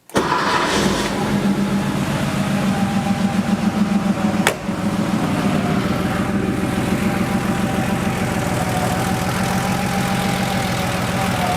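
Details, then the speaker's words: Porsche 3.2 Carrera flat-six restarted after base idle adjustment fix: quick crank, catches cleanly and settles into steady, even idle around 800 rpm, correct for this car; previous high, surging idle resolved. "and the idol's right where it should be that's super interesting"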